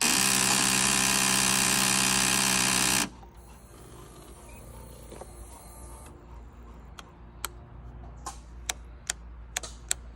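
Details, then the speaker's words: 2012 Kawasaki ZX6R won't start despite good battery, terminals and fuses and a new solenoid: a few seconds of fuel pump priming whir, then sharp single clicks about every half second, engine never fires. "Fuel pump is priming, starter works. When I try to start it, this is what happens."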